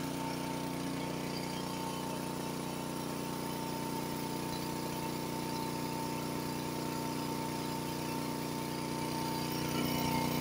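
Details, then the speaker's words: Honda HS80 (824) snowblower, warmed up, unloaded at fast throttle, checked at 3600 rpm (correct spec): a steady, even high-speed drone with no hunting or surging. Normal fast-throttle speed, no load. "all right this one's at 3600 I should have started this before they're both warmed up by the way"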